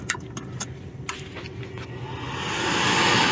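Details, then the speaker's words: Commercial kitchen gas oven in cold weather (around 5°F at night), pressure switch tested OK and flame sensor cleaned: the igniter arcs with sharp repeated clicks but no burner whoosh follows; no gas is getting through, gas valve suspected. "See if you can hear it clicking. See it right there. Not getting any fuel though, I wonder."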